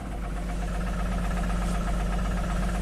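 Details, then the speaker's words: 2002 Jeep Grand Cherokee 4.0L inline-six, rebuilt engine, after a long crank-no-start: first start with pedal floored, lumpy diesel-like idle with blue smoke, reluctant to rev, no cam signal and poor wiring connections; rough misfiring idle. "Oh, a lot of blue smoke there. Sounds like a diesel. Woo! Sounds terrible, but it runs. Amazing. Oh, there you go. Really doesn't want to rev up."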